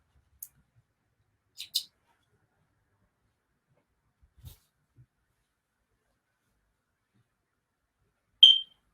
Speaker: also if you hear a high-pitched chirp um that does not mean a bird has gotten into my flat it means that the smoke detector is chirping because even though it's tied into the mains um it still wants its battery change